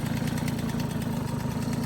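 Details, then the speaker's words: Restored MBK 51 Club moped, first start on a brand-new engine, not yet tuned: fast, buzzy two-stroke popping at a steady idle, even and without stumbling; everything works, no odd noises, running fine. "Premier démarrage, avec le petit feu, tout fonctionne, nickel. Plus de bruit, plus rien."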